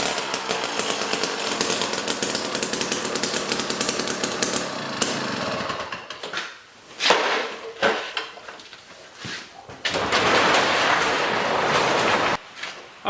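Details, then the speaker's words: Jiffy Stealth STX 10-inch ice auger, 3 hp Tecumseh two-stroke, after fresh 91 non-ethanol fuel, started on choke: loud crisp buzz at steady high speed, no misses, then drops away; running good. "so the jiffy here is running good i mean we put fresh fuel in it and then it was popping off and definitely very loud"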